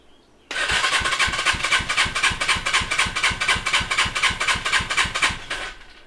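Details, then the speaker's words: Custom Suzuki GS450 scrambler compression test, cranking with key on, full throttle and choke off: even starter cranking with regular pulses; gauge reads 140 three times, so compression is healthy on this cylinder. "key on full throttle crank it see that one immediately went up to 140 so we have a little bit of a difference here right off the bat"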